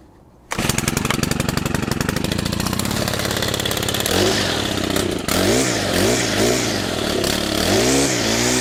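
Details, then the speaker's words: Stihl FS100 brushcutter, 4-Mix four-stroke run on oil-fuel mix, started from cold, then at wide open throttle with choke off: revs swoop up and down, spluttering and dying; rough running. "So that was wide open throttle with the choke off, and you could see it was spluttering, dying."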